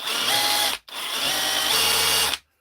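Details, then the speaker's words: DeWalt DCH273 SDS drill, brought in for not hammering, tested after repair in chisel mode: two even one-second bursts of hard, buzzing hammer action, no stalling or grinding; seems all right. "That's chisel. I think she's all right. I think she's all right."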